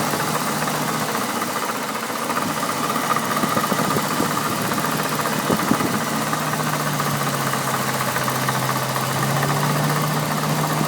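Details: BMW N62B48 V8 idling: light fast clicking over steady engine hum, from a failed water pump.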